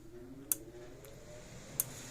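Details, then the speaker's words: Gallagher B80/B180/B280 fence charger after repair of no pulse, no output, likely lightning damage: sharp crisp ticks about 1.3 seconds apart over quiet room hum, putting out 10,000 volts; energizer pulsing normally. "So now we're working like a dream. So probably lightning is probably what got this one. So this one's working fine."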